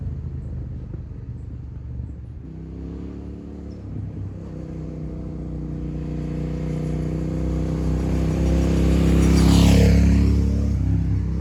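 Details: 2002 Suzuki SV650, abandoned about two years in a parking garage and revived after battery troubleshooting, on its first test ride: even, deep rumble climbing smoothly through the revs as it pulls away, with wind hiss. Engine sounds healthy.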